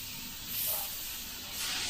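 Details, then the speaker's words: Airbrush with 0.3 needle/nozzle at 25 psi spraying thinned Sagudio acrylic: steady soft hiss with two gentle swells as trigger is pulled, spraying evenly; normal spraying. "And this is at 25 psi in the 0.3. So you can get away with that in the 0.3."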